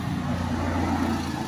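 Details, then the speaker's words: Toyota Revo after replacing worn steering bushing under steering box that clunked over bumpy roads: steady even engine idle with no clunk or knock; steering quiet, fixed. "so wala n lagutok na good na"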